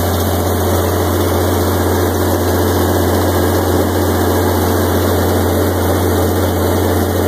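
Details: 1986 Onan 30 kW gasoline generator, 242 hours, 60 Hz set up for 240/480 V, after start-up: loud constant low drone with even hum, no surging or knocking; normal running.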